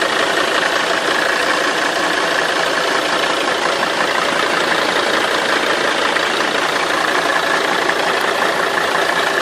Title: 270 CDI Engine rattling noise